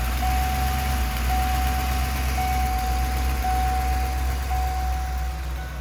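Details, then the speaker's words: 1994 Ford E350 Club Wagon 351 V8 idling dead cold: idle loping unevenly with occasional hesitation and stumble, misfire worse cold, better warm, most noticeable under load uphill; base timing about 10; cause not confirmed. "Idol's a little uneven and you heard it kind of hesitate a little there"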